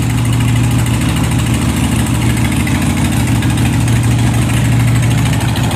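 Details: 2001 Harley-Davidson Sportster 1200 Custom V-twin just after a primed cold start: a deep, steady, loping idle with an even low thump and no tapping or grinding. Normal, healthy cold idle.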